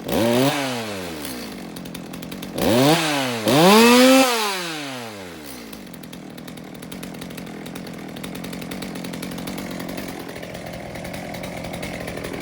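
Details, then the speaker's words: Warm Stihl MS200T chainsaw, fuel line replaced after cracking with age, running without chain: three throttle blips each sag into a slight bog before an uneven idle; owner suspects the carb low jet needs tuning, not confirmed. "So it sounds like maybe there is still a little bit of carb tuning that could happen here. You know, the saw is warm, it doesn't have a chain on it, but it sounds like the low jet might need a little work because it's got a little bit of a bog when I hit the trigger."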